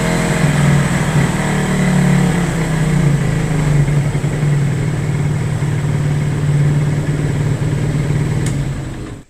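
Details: Hard-starting motorcycle: an uneven, lumpy exhaust beat at idle with a faint pop near the end, the engine misfiring and backfiring, cause unknown.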